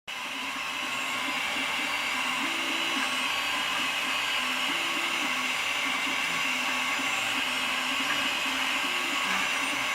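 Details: Malyan M150 3D printer Y axis: stepper tones rise and fall as the bed shuttles with a light buzzing rattle each move, blamed on poor bearings under the table; worn linear bearings causing bed rattle.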